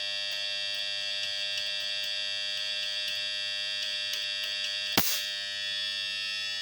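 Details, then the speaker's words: Refrigerator compressor drawing over 2 amps, tested with overload/PTC and jumpered: steady loud electrical buzz, starts briefly then hums again, stalled and unable to start, amps stay high; compressor suspected seized. "Nah, ini nyala. Nyala sebentar tadi cuma berdenggung lagi ya. Tuh, tidak kuat jalan."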